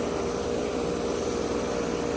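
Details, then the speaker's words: Old ICP/Tempstar condenser (1990, scroll compressor) running in about 90°F heat. A steady rushing hiss over a faint hum with a constant tone near 450 Hz; the line isn't cold, and the source of the hiss is unclear. "It's actually got a scroll compressor in it. Anyways, figured I'd show it running. You can hear it hissing away."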